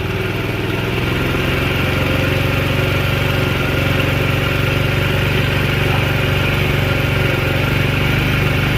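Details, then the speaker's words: Scooter with new carburetor, running on jumper cables: uneven single-cylinder chug at idle, no tappet tick, dies if given much throttle; owner suspects it needs a valve job and has bad gas. "all right I can't give it too much throttle at at all or it'll just die that tells me it's probably got valve problems that need to be addressed"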